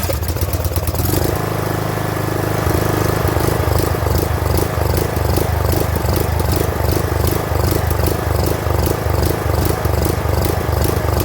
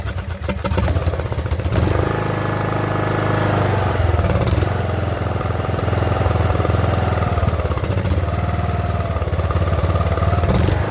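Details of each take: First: Craftsman LT2000 riding mower that sat for over a year: the small engine hunts and surges, its speed rising and falling, and dies at low throttle, blamed on a clogged carburetor. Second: Craftsman LT2000 riding mower with small single-cylinder engine, sat about a year, after fixing surging and priming with gasoline: catches and settles into a steady, even putter with brief dips, idling slightly low before idle screw adjustment.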